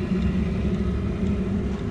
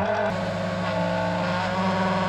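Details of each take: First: Audi A4 1.9 TDI auxiliary heater, after an extra ground wire was run to the battery: once the pump got water it became much quieter. The pump clicks, the heater ignites, and it runs with a steady, even low purr. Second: Audi A4 1.9 TDI auxiliary (Eberspächer) heater, which often fails to ignite in cold weather: the circulation pump hums with a coarse, uneven edge while running dry with no coolant. The planned fix is an extra ground for the blower.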